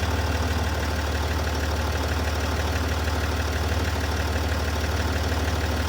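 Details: SDV6 diesel at idle: steady ticking noise about three times a second, keeping time with the engine; source not pinned down.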